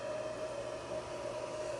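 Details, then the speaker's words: XTZL3D S1 3D printer, fan run then shut off and restarted: constant loud airy whoosh with steady mid-pitched whine; stock cooling fans simply noisy. "I'm going to let you guys listen to the fan here, and then I'm gonna shut it off."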